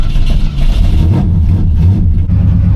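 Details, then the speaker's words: Vortec 5.7 L Suburban with a crank-no-start: the starter turns the engine over in a steady, heavy churn but it never fires. This is the first start attempt after a new crankshaft position sensor was fitted, and it sounds no better. "Start attempt number 1. Post crank sensor. Doesn't really sound any better."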